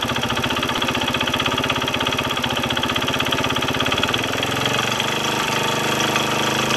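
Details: Kawasaki KSR110 single idling after cam chain tensioner replacement fixed an earlier rattling noise; new fast, even light ticking over the idle beat, owner suspects piston/head area, likely top-end valve train or cam chain.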